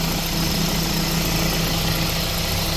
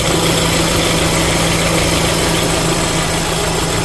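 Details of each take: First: 2013 Renault Fluence after a new belt tensioner, belt and engine mount, idling in Drive with A/C on to load the engine. Steady, even idle with no chirp, squeal or rattle; the earlier noise is gone. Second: 2013 Renault Fluence idling: a harsh whirr from the belt drive rises and falls as the tensioner is pressed with a wrench, and stops when it is pushed down. The tensioner and 6PK1218 belt are being replaced. Faulty belt tensioner.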